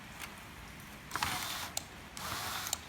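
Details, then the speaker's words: Land Rover Freelander 1 window regulator after a noisy window was repaired and the top plate refitted: two short, soft motor runs, each ending in a light click, with no grinding; window motor now runs quietly. "We'll just do a quick motor test, look. Quiet as a mouse."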